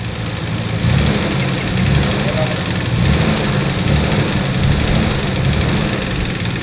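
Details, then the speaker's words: Nissan RB26 engine (solid lifters) revving: after about 10 seconds a quick light metallic top-end ticking rising with revs, not lifter tick, with severe lack of power, no overheating; cause not found. "10 second this is what I remember it sound is okay and then after 10 second you can hear this ticking now I know the the rb26 they've got solid lifters I know they usually ticking louder than usual but this is not um lifter ticking so this is something else"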